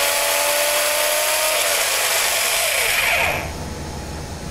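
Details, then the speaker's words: Electric RC truck set up for on-road running, on-road tires, discs, pinion, spur and bearings in good condition: loud, steady high-pitched gear whine and buzz while running smoothly; normal drivetrain noise. "so you take a listen this is running smoothly as far as i'm concerned but it is noisy"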